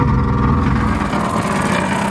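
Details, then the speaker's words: Electric fuel pump on a 1961 Morris Minor pickup, long-stored truck being revived, priming to get fuel to the carburetor: loud, coarse, steady buzzing rattle, pump visibly shaking, far harsher than a healthy pump's ticking; noisy fuel pump. "that fuel pump sounds terrible you can see it shaking there"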